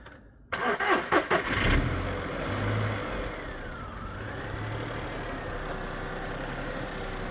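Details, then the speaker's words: VW Polo after timing chain replacement, warmed up: starter churns briefly, catches and settles into a steady, even idle with no knocks or misses. Normal idle, though it smokes when warm and puffs on the overrun. "and uh as you can hear she runs quite nicely I've warmed her up up she's actually warmed up"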